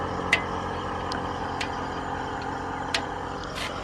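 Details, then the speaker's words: Yamaha RX 135 (1999) motorcycle, hot after a long ride, parked at sunrise: scattered sharp metallic tick-tick sounds every half second or so from the cat silencer as the expanded exhaust contracts; normal heat ticking. "So when the motorcycle heats up, the exhaust is kind of expands. Not visible for the naked eye, but it will expand."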